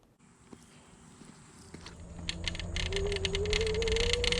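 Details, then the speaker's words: Megawheels S10 electric scooter with hub motor, ridden on a test: a light metallic rattle rises over the motor whine as speed builds. It comes from the loose handlebar folding-mechanism latch, with screws already tight. "alright guys you hear that rattle that's gonna drive me nuts so i figured out what it was and it's this little latch on the folding mechanism for the handlebars rattling around"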